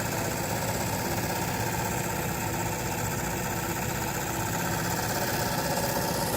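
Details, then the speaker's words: Sieg mini lathe factory DC motor (rated 4,500 rpm, 110 V, 35 A), re-shellacked by owner, smoke test at low voltage, under 30 V, with new timing belt: steady, even buzzing with constant brush hiss, no knocks or surging; previously smoked at about twice this speed. "Usually when it's smoking, it's probably going about twice as fast as this."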